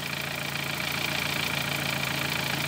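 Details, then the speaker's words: 2013 Dodge Forza at idle: uneven, stumbling, lopsided beat with hissy top end, like one or two cylinders dropping out; poor spark burn on coil 3/2 cylinders; misfire, cause (coil or mechanical) suspected, not confirmed. "aquí se está mal como tal no hay un quemado bueno en estos dos cilindros o en uno de los cilindros"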